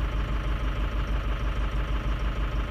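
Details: Diesel bus at 57° coolant idling with a heavy chugging beat about five per second and slightly uneven pulses; ICP slightly high, IPR checked for oil leak, cylinders 1, 4 and 6 flagged with compensation on. Rough idle, cause suspected, not confirmed.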